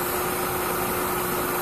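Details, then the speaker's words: 2003 Mercedes C180 Kompressor 1.8 petrol with airflow meter fault codes (P0102) at idle: steady loud hiss over an even idle; spraying electrical cleaner nearly stalls the engine, indicating a vacuum leak. "so when I went in there and check the engine as I was saying I heard that sort of vacuum leak or why looks like a vacuum leak and then when I spray that electrical cleaner as you can see the engine nearly dies"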